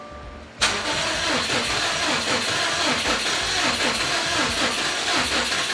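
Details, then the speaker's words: Subaru WRX STI with suspected blown engine, timing marks checked and aligned, getting fuel: starter cranks fast and even with hollow airy chuff, never fires; cranking no-start, lost compression suspected, fuel smell noted. "it was like trying there but it's definitely trying oh it sounds like it's lost compression coming out like smell the fuel"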